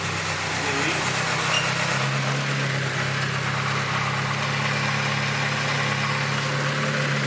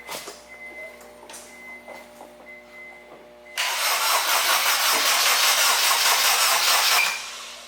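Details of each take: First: Boosted Acura RSX Type S after an engine rebuild with LSD, new clutch and pistons, just after first start: steady, even idle hum with a smooth low drone, no ticking or exhaust leaks. Only a coolant drip is still being checked. Normal idle. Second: Acura RSX after motor build and LSD install, first start on a jumper box: starter cranks steadily about three seconds but never fires; cranks no start, fuel pump heard and fuel pressure present, battery charge doubted.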